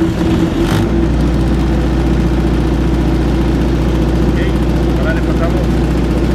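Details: ZAKKA KDE-60KVA3 diesel generator, Ford engine, two-phase, powering a welder: steady even diesel drone with firm low thrum holding speed under welding load; normal running under load.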